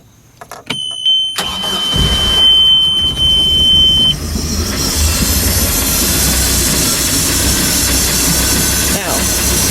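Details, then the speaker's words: 2006 Bayliner 175 boat engine with about 1.5 original hours, cold start: catches and settles to steady idle with thin constant hiss from the plunger enriching fuel as an automatic choke; normal cold-start enrichment, still audible with cover on. "Can you hear that hissing noise? That's the TPS activated. When that plunger is activated, it basically makes a little that hissing noise because it opens up the air and it enriches the fuel."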